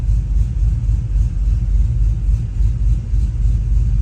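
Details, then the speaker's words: Cammed Chevy Silverado 1500 5.3L (Chopacabra cam, long tubes, 3-inch exhaust), warm at 181 coolant, closed loop: deep loping idle chopping about four pulses a second, slightly uneven as ignition timing jumps; over-under idle speed correction needs adjusting to steady it. "Yeah, you can just see that, you know, the timing, it's jumping pretty hard. I just need to adjust the over-under idle speed correction to kind of mellow that out so it's not jumping as hard."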